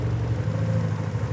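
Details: Porsche 944 at warm engine temperature, idle stabiliser defeated by jumping diagnostic port B to C for idle adjustment (target about 900 ± 50 rpm): low, even burble with a steady beat, no hunting or dips, stable idle.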